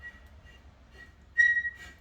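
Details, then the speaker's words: Junkyard GM LS Vortec engine turned by hand with breaker bar on 24 mm crank bolt: quiet uneven turning with considerable resistance and a thin high squeak rising sharply mid-turn; dry, binding internals, engine to be fully rebuilt. "this isn't necessarily sound that you want to hear because that's pretty dry in there and even with this breaker bar there's quite a bit of resistance on this motor"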